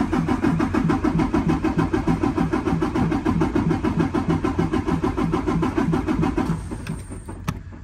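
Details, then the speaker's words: 2019 Freightliner Cascadia DD15 diesel, 785,000 miles, cranking no-start during relative compression test after valve adjustment for zero compression on cylinders 4 and 6; steady even starter churn about 200 beats a minute. Normal cranking, compression improved. "click on yes and we're going to go and crank it again it will not start but we're going to look at these two numbers the number four and the number six here"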